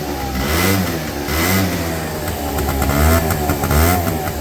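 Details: 2009 Yamaha Zuma 50 two-stroke scooter after draining very dark oil and refilling with Maxima Super M, now smoking far less: crisp buzz rising and falling cleanly with throttle blips, no sputter or bogging; healthy running.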